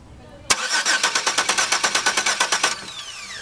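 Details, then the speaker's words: 2002 Chevy Venture 3.4 cranking, good spark but no injector pulse from module: starter cranks evenly at about three turns a second but engine never catches; crank no start, no injector pulse. "okay no no injector PSE"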